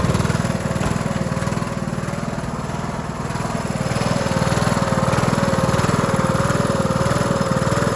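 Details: Cub Cadet LT1045 mower (276 hours) with a replacement engine after the original cracked and seized; started on choke via jump pack: steady, even V-twin thump of about two beats a second, no misses or knocks. Sounds healthy.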